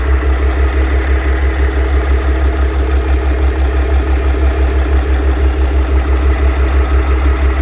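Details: Mercedes W211 with OM642 3.0 diesel at idle: an even, steady pulse about twice a second under the engine note from a worn A/C compressor (pump) bearing; replacing the bearing solves it, no sound anymore.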